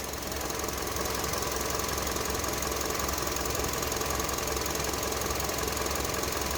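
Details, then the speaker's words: 2009 Honda CR-V, 208,391 miles, fresh oil change, idle relearn with the engine warming toward 90°C: steady even idle with light regular valve tick and no misses; runs smoothly and smells of burning residual oil. "they seem to be running good running smooth at least we got some stuff burning off it smells like oil probably just oil residue from where we changed it"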